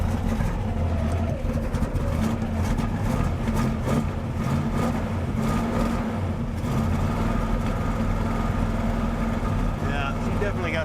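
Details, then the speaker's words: 1967 Buick GS 340 V8 idling just after fuel reaches the bowls: stumbling, uneven exhaust beat dropping pulses, a couple of unhappy plugs; ignition, not a curiosity, idle to be brought up a hair. "some plugs that ain't happy yeah that's ignition it's not a curiosity"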